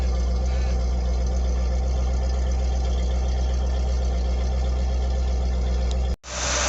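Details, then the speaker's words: 1978 Ford P6 LTD (Ford Australia) barn find from a shed in regional Victoria: deep, steady V8 burble with an even beat, no knocks or ticks; starts and runs well, engine sounds good, gearbox shifts nicely, no diff noises. "now this car does start and run quite well the engine sounds good the gearbox shifts nicely and there's no no noises from the diff"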